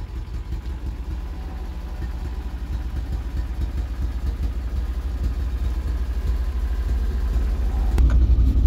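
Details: 1975 Vauxhall Viva barn find after fitting Weber carburettor and Edelbrock intake, investigating high idle and choke cable: low, steady idle without hunting, then brief blip; throttle response improved. Normal idle.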